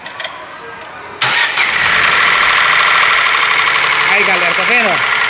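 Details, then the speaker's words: 2018 Ford Ka three-cylinder engine fires into a loud, fast metallic top-end clatter about four ticks per second at the valve camshaft, running dry; suspected lack of lubrication, oil pump pressure to be checked with a gauge. "Tá um barulho aqui horrível. Um barulho feio, tá vendo, galera? Trabalhando seco aqui a parte de cima."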